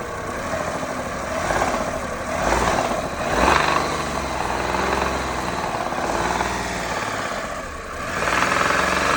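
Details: Engine with an unexplained droning hum that swells each time the revs climb on throttle blips and fades back at idle. Source unknown.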